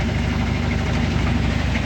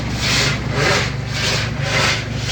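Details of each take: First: Top-load washing machine after repair running a wash with steady, even low motor hum, no scraping; the earlier scraping noise, with the drum rubbing underneath, is gone after removing the legs. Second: Washing machine agitating: rhythmic rasping scrape, about two a second, over the low motor hum; the drum is scraping against the metal sheet.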